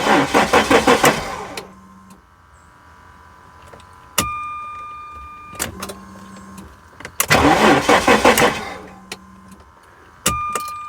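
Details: 1994 Jaguar XJ6 stored several months: starter churns in rapid bursts about two seconds long and never catches, then a faint hum from the fuel pump running after key release. Mechanic leans toward a failed crank sensor; low battery voltage also suspected. Crank, no start.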